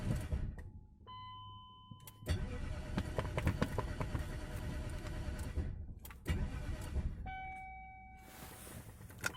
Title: e39 4.4 m62 crank no start no gear no fuel injections